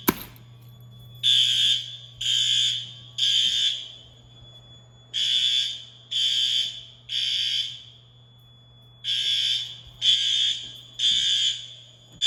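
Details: Fire alarm test at pull stations in an old 1948 school, second floor: shrill horn sounds in groups of three blasts with a pause between groups, repeating evenly; alarm signal normal.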